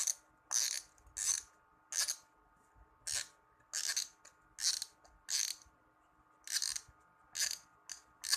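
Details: Brand-new Shimano 16 Vanquish 4000XG spinning reel: gritty, raspy gear grinding with each handle turn while retrieving; spool cap also rattles when shaken, as if an internal part is unassembled.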